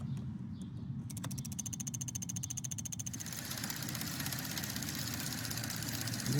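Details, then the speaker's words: Chevy 5.3L truck engine at idle: quick light even ticking over steady idle from injectors, relays and solenoids; normal, not lifter tick. "most of them are quiet things like injectors opening or relays turning off and on or solenoids activating"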